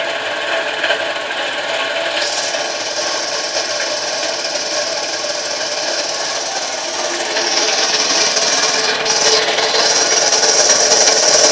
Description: An Eagle 2-stage compressor I bought off Craigslist. Turns out, it has a bad rear crank bearing.